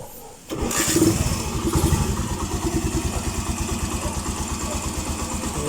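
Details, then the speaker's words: Suzuki Mola single-cylinder motorcycle after repair for a top-end tick that appeared once warm, with a new timing chain fitted and the original tensioner kept: catches at once and settles into an even, steady idle, no ticking. Normal idle, tick gone. "So ayos na mga ka-OT. Tumahik nga ung lagitiki. Nalagitik eh. A nawala."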